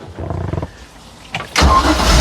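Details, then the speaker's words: Project boat, warm at operating temperature: short crank, pause, fires immediately and holds a strong even burble on restart after shutdown; starts right up. "Oh, yeah. Starts right up. Love it. I am so happy."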